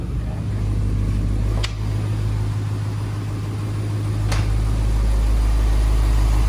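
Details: 1990 Corvette ZR-1 LT-5 engine after starter replacement to fix a no-start, about 20 vacuum hoses and harnesses refitted; deep, even idle rumble with steady rhythm, no knocks or misses, outdoors; running smoothly.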